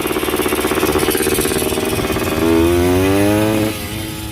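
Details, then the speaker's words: Yamaha 125 enduro two-stroke, running and riding again (earlier suspected oil fouling): crisp ring-ding popping about four pulses a second, then a clean rev climbing and dropping back; normal running. "Now we can tinker around with cleaning it up, stiffening it up, waxing it a little bit, getting it dialed in 100%, but it runs and rides again, so 2 thumbs up."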